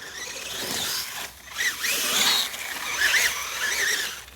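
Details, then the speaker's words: Old Axial Capra-chassis Bouncer RC crawler with older junky axle housings: high whirring drivetrain with sudden gritty chattering bursts under load; owner complains of horrible axles that don't hold up, worn axle gears skipping. "oh you hear that crap oh horrible axles"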